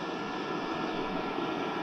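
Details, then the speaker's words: Diesel heater with a battery-backup mod (charger on AC), running at setting 7.2 when AC power is cut completely. It switches to battery at about 12.5 V with a steady fan roar and constant combustion hiss, no dip or stutter, still giving plenty of heat: normal running. "okay we have lost power completely it's dropped down a little bit but it's still 12 1/2 volts still getting plenty of heat"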